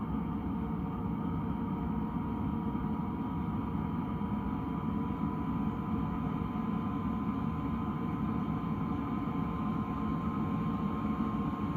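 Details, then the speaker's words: Chinese diesel heater mounted in a box, slowing into temperature-maintain mode at nine degrees; fan calms and fuel pump ticks audibly over a steady even rushing hum, no rattles or surging, running normally. "so now the fan has calmed down a little bit you can hear the fuel pump ticking away"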